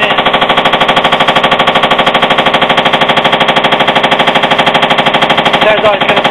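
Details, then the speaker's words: Hotpoint washing machine on spin above 500 rpm: heavy, evenly spaced knocking hammers at high speed; suspected unbalanced load, cracked concrete weight or loose drum mounting nuts, not confirmed. "yeah our washing machines developed a bit of a knock-on speed from the over 500"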